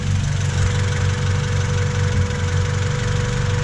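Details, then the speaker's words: 1999 Honda Civic EK3 hatchback, D15Z6 petrol engine idling before valve clearance adjustment: a light, fairly quick ticking rides over a steady low rumble; owner suspects valve clearance causing the tick, not confirmed. "as you can hear it's quite Ticky it's um doesn't sound too great so hopefully we'll um adjust the valve clearance today and um hopefully resolve the issue"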